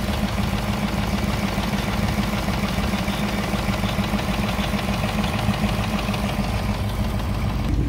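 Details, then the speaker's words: 2018 Ford Mustang GT PP1, 6-speed manual, very high mileage, idling a few minutes after a cold start: a fast, even light typewriter ticking over the engine hum. The owner also hears it around 2000–3000 rpm while driving; cause unknown. "yeah that's the typewriter take three years later still taken motor's good"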